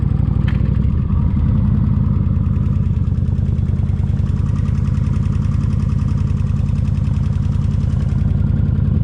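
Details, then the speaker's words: Kawasaki Vulcan 1600 V-twin idling after an 8.2-mile ride, third day of an engine treatment: light, fairly steady tick over the lopey beat; front rocker arm lifter still tapping. "yep I still here yep it's still tapping I can hear that with the helmet on"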